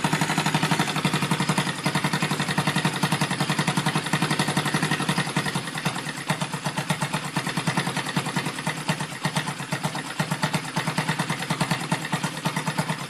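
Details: Rebuilt Yamaha Vega (Crypton) single-cylinder engine with balancer, running on the bench without a frame after a rebored cylinder and a larger carburetor: steady idle about three pulses per second with light metallic clatter from the top end; the builder identifies balancer gear noise.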